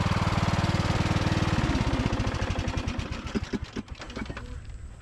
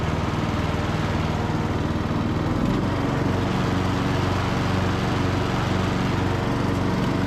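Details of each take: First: Briggs and Stratton–powered Craftsman DLT3000 riding mower, restarted at idle: even thumping turns ragged and skips before fading, sputtering a little at idle; owner plans to recheck the carburetor, cause unconfirmed. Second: Briggs and Stratton–powered Craftsman DLT3000 riding mower mowing on test drive: steady single-cylinder thump with deck whirring, speed holding even under load; engine and spindles healthy, deck engagement cable sticking.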